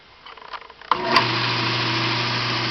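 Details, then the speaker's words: Yard-sale VIEL 1x42 in belt sander/grinder fitted with new motor, added switch and new rubber feet: switch click, motor spins straight up to smooth steady hum without rattle or grinding; normal running. "Anyway, I'm going to turn it on and let you see it run."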